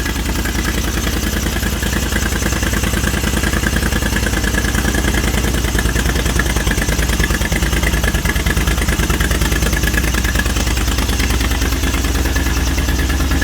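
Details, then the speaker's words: 1980 Moto Guzzi Le Mans Mk2 850cc V-twin, restored, about 20,600 miles, just started on a little choke: steady, even idle with a firm low beat and no knocks or misses. Normal idle. "Turn that off before it runs out of fuel. But how good does that sound, folks? How good does that sound?"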